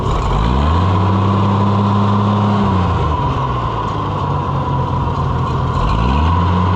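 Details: Oliver 1650/1655 tractor after new Delco-style distributor swap: catches, settles to steady even beat, sags briefly, picks back up without stumbling; running properly and restarts.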